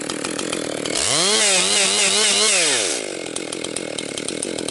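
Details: Rebuilt Husqvarna 262XP chainsaw breaking in, compression up, bucking dry, partly rotten pine: screams up crisply into cut, holds strong steady pitch, drops cleanly back to idle; healthy, snappy engine.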